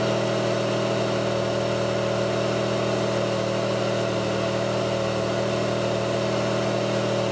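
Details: 2002 Pontiac Grand Prix 3800 idling: a steady hum with an uneven, lumpy pulse, a rough idle with bogging and no check-engine light. The alternator overheats, and a faint intermittent thumping pulls the idle down; the cause is not identified.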